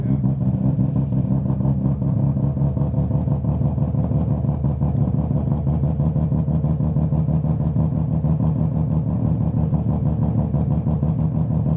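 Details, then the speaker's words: Mazda FC RX-7 rotary engine at the dyno session: loud, choppy, steady brap idle with no knocks or misses, sounding as it should after the previous day's lawn-mower-like running on one rotor; normal idle. "yeah that's how it was supposed to sound it did not sound like that yesterday it sounded like a lawn mower running on one rotor"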